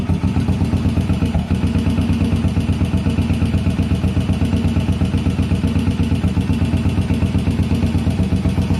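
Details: 1981 Yamaha SR500 single-cylinder, rough clattery idle and smoke after oil and filter change, sump check ball/spring/gasket replacement and valve adjustment; best compression 115 psi with compression release removed; cause unknown.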